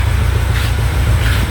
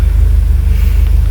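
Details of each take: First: Peugeot 807 with EW10 engine, check engine light and anti-pollution fault: deep uneven idle stumbling every second or so, one-cylinder misfire traced to faulty injector. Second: Peugeot 807 that had misfired with the check-engine light on, after a part was replaced (injector problem suspected): steady, even idle now stable at about 900 rpm versus about 750 before, check-engine light off.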